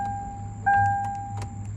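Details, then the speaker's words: 2014 Hyundai Accent with a seized engine, fresh oil added; a few faint single clicks under the dash warning chime, with no cranking. Owner says the battery is dead and suspects a starter problem. "oh this oh this battery is dead but it makes that click cck like something wants to turn but it's not turning okay it's confusing it sounds like it sounds like um the kickstarter has a problem that's how it sounds sometimes"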